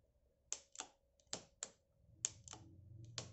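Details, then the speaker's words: STELS Navigator-745 MD bicycle, L2 (SRAM-copy) trigger shifter after assembly and adjustment: sharp, dry clicks in uneven pairs, no drivetrain noise; shifts precisely but indexes coarsely and feels crunchy inside. "Такие щелчки дубовые. То есть сам механизм какой-то, он четко работает, но он по качеству переключения прям вот... Внутри как будто что-то хрустит."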